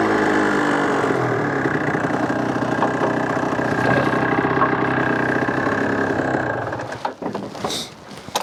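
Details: Suzuki RG F125 two-stroke with a fresh top end, on test ride: steady buzz holding an even, clean note, then easing off; rides much better, main jet upgrade from 195 to 200 or more considered.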